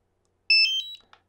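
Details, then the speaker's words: DJI Mavic Air remote controller power-on: short, bright multi-tone chime of rising electronic notes; a chime with more than one tone is normal, not a fault. "so if it's a chime if it contains more than one tone is almost certainly not an issue it's just like a little reminder that your drone uh remote controller has been turned on or off"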